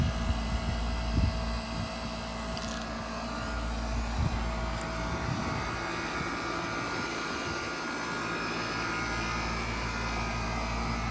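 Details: Outdoor AC condenser during home inspection after running about 15 minutes and cooling well: steady even fan and compressor hum, no rattles or grinding, normal quiet operation.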